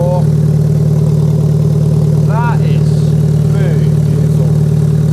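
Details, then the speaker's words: First start of a Rover 25 after a full K-series four-cylinder rebuild, no exhaust system fitted: loud, deep open drone at idle with an even, steady beat and no knocks or misfires; running smoothly. "okay that was slick that sounds so smooth it's good to hear it's firing on"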